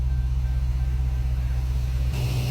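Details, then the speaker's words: Dodge Charger after its rebuild, first run once finished: deep, steady, even rumble with no knocks or misses, fan kicking in near the end, slight smoke from fingerprint oil on the headers; running healthy. "sounds good though sounds pretty good"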